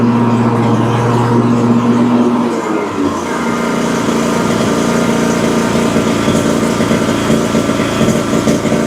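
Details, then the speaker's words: Exmark Vantage S stand-on mower, Kawasaki FS541V V-twin, 1181 hours, just refilled after the dipstick showed no oil: runs unevenly with irregular pops and faltering beat, misfiring; over-fuelling or a sticking or poorly sealing valve suspected; customer reports low power with blades engaged. "So, it runs pretty poorly. It seems like it's either getting too much fuel or that one of the valves is sticking or not sealing properly."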